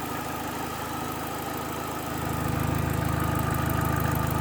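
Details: Opel Astra H GTC 1.8 at idle: a fast, regular light tick over the engine note that holds its rhythm as the revs lift slightly. Engine ticking at idle.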